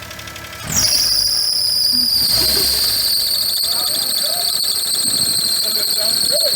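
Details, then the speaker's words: Geo Metro, first start after sitting, battery new months earlier: piercing steady high squeal starts as the engine fires and holds over idle; alternator suspected to be failing, not confirmed. "I think the alternator itself is Gone. The battery hasn't died. things about to die."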